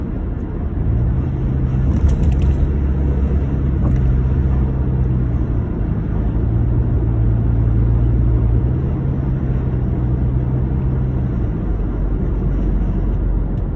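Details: 2009 Honda Accord with a steady deep rumbling idle and a droning low note throughout; intake and exhaust leak.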